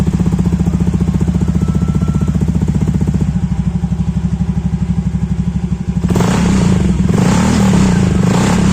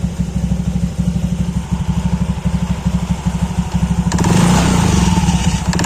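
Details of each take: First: Honda KOJ-series automatic scooter (Beat, Scoopy, Genio) after fixing a mouse-like CVT squeal, with the CVT cover refitted; steady idle then revving with no squeal, the drive now smooth. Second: Honda KOJ-series scooter (Beat, Scoopy, Genio) CVT barely audible at idle, squeaks like a mouse when throttled, recorded with the CVT cover off; the clutch bell (mangkok ganda) is worn from rubbing against the clutch shoes.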